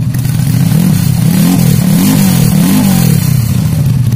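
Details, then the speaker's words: Freshly built semi-racing Honda C-series engine (Juve piston, BRT T1 cam, double ball bearings), loud exhaust: throttle blips rise and fall cleanly, no rattle or misfire; engine very smooth. "Dan ini mesinnya sudah hidup dan suara mesinnya awet sekalian halus sekali suara mesinnya cuma suara knalpotnya juga agak besar"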